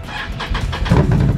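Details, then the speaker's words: 2021 Can-Am Renegade X-MR 1000R after replacing a broken, clicking rear CV axle: starts and backs up under load on that corner with a smooth, even drone and no clicking. "i'll fire it up we'll back her up and put some stress on that corner and we'll just make sure we've got rid of that clicking and that our diagnosis was correct"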